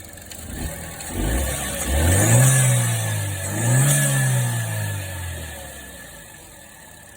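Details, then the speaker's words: 2013 Chevy Cruze 1.4L turbo after valve cover gasket replacement, revved to burn off spilled oil: spins up twice in smooth rising and falling revs with no rattles or ticks; sounds healthy. "that sound i don't know why man it sounds pretty good it does sound pretty good"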